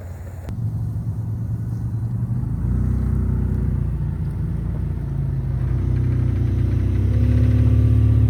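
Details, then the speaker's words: 3rd-gen Toyota 4Runner at around 50 mph after replacing a worn U-joint: steady engine and road drone with no rhythmic thump or shudder, slight exhaust heat-shield rattle; acceleration vibration fixed, driveline smooth. "You know, usually get up to like 50 or so. It was pretty bad. A lot better."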